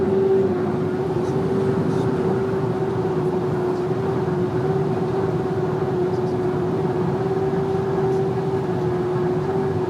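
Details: VW Amarok driven slightly over 120 km/h: a steady high whistle at one pitch above the road roar; source unconfirmed.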